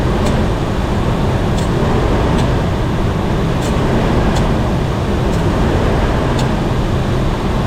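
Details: Mercury Mountaineer with the AC compressor clutch gap adjusted and no parts replaced, then started to check for scraping. A steady, even engine drone with no scraping or grinding over the wind: the compressor is running normally.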